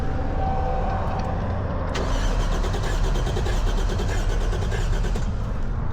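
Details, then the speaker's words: 1JZ-swapped Toyota Cressida that sat three years: steady starter cranking about 95 rpm with no firing; cranks but won't start, fuel pressure gauge at zero though ECU reads RPM, no fuel delivered. "So fuel pressure is not going up, but we do have uh RPM down there. So ECU is working. It's just not making anything for power. It's not getting any fuel."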